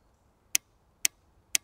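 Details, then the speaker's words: Evinrude E-TEC 75/90 outboard on a Brig Navigator 570, injectors fired in a diagnostic test, microphone placed near them. Three sharp, evenly spaced clicks, crisp and identical across injectors. Injectors firing normally. "Second, third and a very similar sound in all of them. That's always good."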